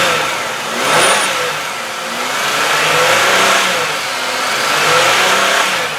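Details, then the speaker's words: 1999 Chevy Malibu LS, cold, sat 6 weeks, some oil smoke burning off: revved several times smoothly and settles back, no high-rev knock, valvetrain or lifter noise; engine sounds good though owner suspects a bad head gasket from overheating. "okay so I know the motor is good as you could hear there's no uh High Rev knocks no valve Trin noise no lifter noise"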